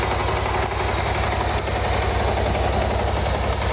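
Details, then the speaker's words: 2013 BMW C650GT scooter at idle: deep, slightly lumpy tractor-like chug, even with no knocking; very quiet muffler, sound mostly from the engine; normal idle for this model. "very quiet. This is a muffler instead of an exhaust. Like, quite literally, you can't hear it. You can't hear any really sound coming from that. It's all from the engine."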